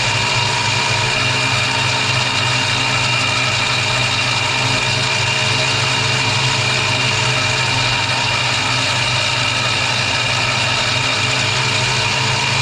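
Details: 1965 Mustang 289 V8 after a camshaft replacement: a steady idle with even low pulses and constant speed, no misses or knocking. It idles normally.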